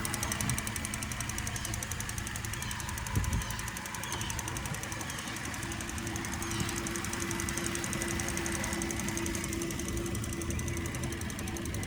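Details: 2008 Cadillac CTS 3.6 LY7 at cold idle: fast, even light ticking, louder on passenger side, steady throughout; source not pinned down.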